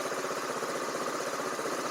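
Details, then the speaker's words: Small buggy engine after readjusting wrongly set valves: smooth even idle with a steady low putter and a quiet valvetrain; full-throttle cutting out remains, owner suspects the carburetor. "I adjusted them wrong but it's no longer ticking so sounds much better"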